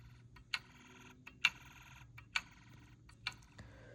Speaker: So, you can hear the clicking. That's from the meter.